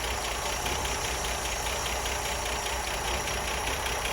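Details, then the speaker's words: Ford Mk1 Granada 3.0 V6 Ghia being recommissioned, running from a jerry can, warmed up with water pipes hot: even settled idle, soft steady pulse, no knocks or misses; normal warm idle, heater not yet working. "growing up for a while all the water pipes are hot everything's as it should be"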